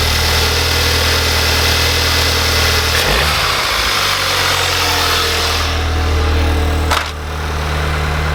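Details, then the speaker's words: Mk3 Audi TTS 2.0 TSI cold start after fitting APR coil packs and NGK plugs: cranks, catches, holds a high cold idle with uneven lumpy beat, still running rough as before; deeper cause not yet found. "So as you can see from the video, it's running rough, it was sort of getting confused"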